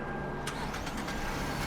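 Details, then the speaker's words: $3,000 Dubai auction car after a full engine rebuild to cure a knock caused by missing oil and destroyed bearings. The engine catches and settles into a steady, even idle with no knock; some smoke is seen. "There we go. Started Yes, sir. The engine works. and sound. Perfect."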